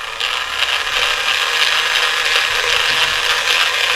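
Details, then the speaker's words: Small DC gear motor on a 5A 90W PWM speed controller, supply at 6 volts drawing 1.4 to 2.7 amps: harsh, buzzy, ratchety gear whir at steady speed, much louder than expected; loud gear motor noise, cause unknown. "It's making a loud noise. I hope you can hear it clear."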